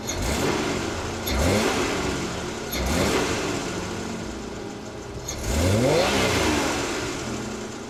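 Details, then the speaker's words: 1986 Oldsmobile Toronado, stock exhaust, microphone clipped in place: three clean throttle blips, revs rising smoothly and dropping back to even idle; engine sounds healthy. "I hope that sounded good. Like, mind you, this is a stock exhaust. It's not going to sound too great, but let's clip it like that."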